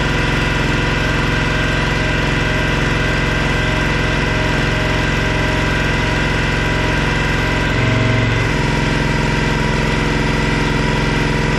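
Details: Cub Cadet log splitter, decades old, just refueled with a mixed fuel batch plus K100: small single-cylinder petrol engine runs at a steady, even chug with no misses; normal.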